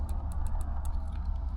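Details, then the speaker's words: RV relay tested on the bench, likely a Gulf Stream Endura motorhome part: faint, thin ticks barely heard over a low hum when power is applied, and the meter shows no continuity. A weak, failing relay compared with a good one's loud click. "so if I do the same thing first off listen to this one click it barely makes any sound hear"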